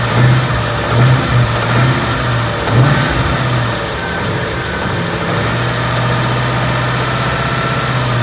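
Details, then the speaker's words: 2014 Ford Coyote V8, bone stock, 29,000 miles, idling with a steady low rumble and light rev blips, mic on passenger side; no tick or piston slap heard, the single click is the AC clutch engaging. "Sounds healthy to me. We'll see. I've got to listen back to the video, but so far it sounds good to me."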